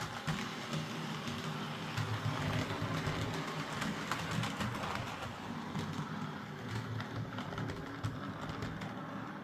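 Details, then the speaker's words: Bachmann Class 47 model locomotive, sent in for a screeching sound that began after a couple of minutes' running, now runs both directions for 10 minutes without it: even, light motor whir with faint track clicks and no squeal; normal running. "But I've ran it around the track here, both directions for a good 10 minutes, and it's not making the noise again."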